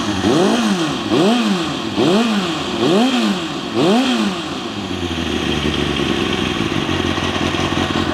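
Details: Kawasaki ZXR400 inline-four, first start after carb clean and rebuild with a new air filter; carbs not yet balanced. Four quick throttle blips, then a clattery, uneven idle with a rattle; running rough, doesn't sound like it's on all four. Cause suspected, not confirmed.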